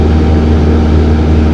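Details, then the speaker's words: Cessna 162 SkyCatcher at cruise, throttle unchanged while mixture is leaned: RPM drops off and the steady low propeller drone turns slightly uneven and rougher, rough running from over-lean mixture; enriched slightly for good lean. "hear it kind of get a little rougher. Yeah, I heard that."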